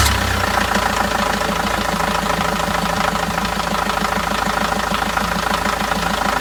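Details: 2002 Renault Master 2.2/2.5 G9T diesel just after replacing the belt tensioner, pulley and belt with Gates parts: steady, even idle clatter with a regular beat and no squeal or chirp from the belt; runs healthy.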